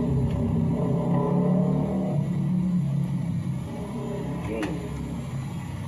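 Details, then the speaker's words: Engine running after setup: steady, even note with a smooth low drone and no knocks or misses. Engine sounds healthy and settled. "Yun, o, diba? Ang ganda ng tunog niya."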